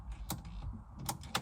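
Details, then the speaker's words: 2004-06 Pontiac GTO locked ignition: three sharp, dry, irregular clicks as the broken ignition lock cylinder is forced round with grips, since it cannot be turned by hand; cylinder broken inside, not engaging. "I can't, again, you can't do it by hand, it's basically broken, but if you listen, you can hear the clicks."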